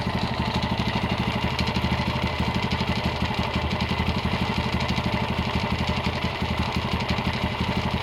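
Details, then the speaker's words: Honda GL100 (GLK 100) motorcycle engine before restoration idling unevenly with a loose clattery rattle from the clutch side over the low thump; top end/head sounds smooth; also smokes and leaks oil underneath. "Ini kendalanya seperti yang tadi kita dengar, suaranya berisik di bagian kopling ya. Eh, dan untuk bagian atas atau blok head itu cenderung halus malah ya."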